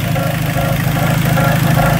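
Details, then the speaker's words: 2003 Dodge Neon just after timing belt and water pump replacement: the idle carries a rhythmic scraping swish, about two pulses a second, from rubbing inside the timing cover; a thick timing cover plate or gasket is suspected of pushing onto the tensioner. "well it's running but it's not happy sounds like something is rubbing inside the timing cover"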